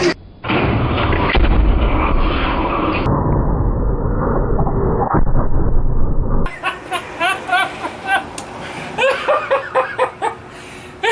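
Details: 1956 VW Beetle engine, first start, chilly day, carbs primed with carb cleaner, coil now powered: cranks, catches a few seconds of rough firing, then dies back to cranking; runs fine, problem is fuel supply.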